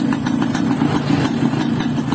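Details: Yamaha RX-King two-stroke motorcycle (stated as 2006 and also as '94), previously sluggish from overly extreme porting, after the repair. Quick, crisp popping at about seven beats a second, holding a steady idle; it runs evenly and healthily.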